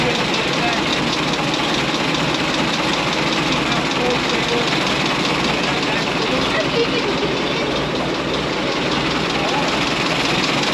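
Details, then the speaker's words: 1927 White dump truck first started after 20 years, 28 psi oil pressure: old petrol engine idling steadily under a lot of hiss, no heavy knocks or misses; runs smooth, sounding like new. "what do you think Grandpa sounds like new it sounds like new just turn right along huh"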